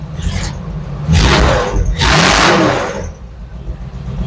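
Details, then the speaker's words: Bombardier snowmobile old petrol engine at first start: revs in two bursts with a faint high squeal over the roar from the fan belt squealing. "That's the fan belt squealing."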